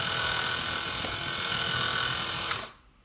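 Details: Kabolite K961 excavator track motor whirs evenly with a soft steady buzz and no squeal, then stops; normal running, while the other track squealed very loudly before the fix.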